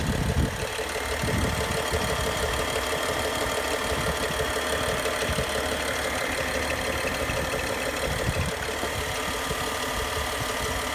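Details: BMW N55 engine at idle: steady idle with a light, uneven ticking rattle on top; both timing chains, VANOS units, belt and pulleys are all new, source of the abnormal noise still unknown.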